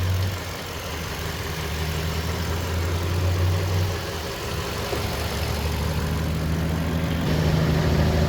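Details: 2021 Toyota Tundra 4x4 lifted, pre-purchase inspection: steady, even low idle with smooth drone, no knocks or ticks; engine sounds good.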